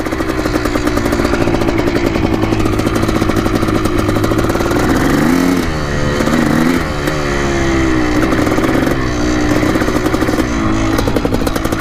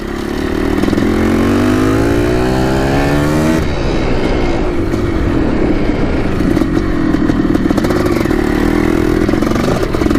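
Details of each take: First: 1987 Yamaha YZ490 two-stroke after carb cleaning and fresh fuel, warmed about 6 minutes, riding test: ringing note rises and sags as the throttle opens, flat and hesitant instead of clearing out; bogging under throttle. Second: 1987 Yamaha YZ490 two-stroke after carb cleaning and new fuel, riding: crisp ring-ding climbing cleanly through the revs, then a steady crackling pull with no stumbling, burning much better; normal two-stroke running.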